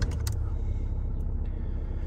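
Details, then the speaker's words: 2015 Dacia Sandero diesel on axle stands, in neutral, just after a fuel filter change (filter next to the belts): brief starter crank, then it catches and settles into a steady low idle with no misfire. Normal diesel idle. "as you can see the car is started there"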